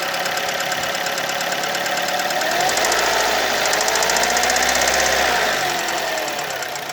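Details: Kia Ceed at steady idle: sharp quick ticking knock, about three to four per second, over engine hum; appears only when warm, not cold; valves adjusted and within spec, so not valves; source unknown. Engine knock.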